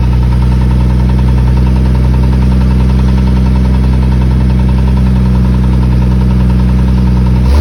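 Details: 1997 Jeep Cherokee XJ 4.0 while accelerating: steady deep engine drone with a fast light ticking, about three or four per second; engine ticking, cause unclear.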